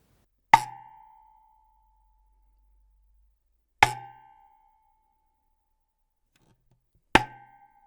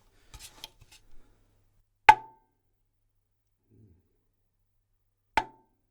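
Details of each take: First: 1970s Ludwig 12x8 Jazzette tom shell tapped before packing the lugs, tension rods and dampener off, mount tightened: four taps with lingering metallic lug-spring ring, long decay, and slight rattle from loose lug inserts. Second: 1970s Ludwig 12x8 Jazzette tom shell tapped after packing the lugs, tension rods off: two sharp taps with short mid tone dying quickly, metallic spring ringing largely gone.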